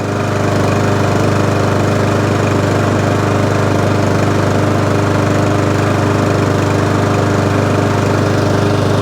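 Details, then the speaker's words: Mountfield SP454 lawn mower, cold start at about 3 degrees after sitting, after fixing a knocking noise underneath and sharpening and balancing the blade: steady even engine beat, smooth low drone, no knocking; normal running. "there you go good fixed it now all runs drives no hideous noise and i fixed that for nothing"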